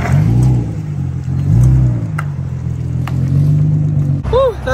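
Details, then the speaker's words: Infiniti G35 coupe after replacing flex pipes and Y-pipe to fix a bad exhaust leak that caught fire (small hole still unfixed): deep, smooth rev rising and falling cleanly, no puffing or ticking. Normal exhaust note. "all right we officially have the new pipe if it'll focus on the y-pipe this is what it told me should sound like yes oh my god it sounds so much better dude"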